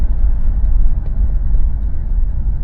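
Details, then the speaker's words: 1979 Cadillac Coupe DeVille cruising about 20-25 mph with windows up, in cabin: only low, even road and engine rumble, no rattles from doors, windows or dash; quiet cabin. "it's actually relatively quiet in here too."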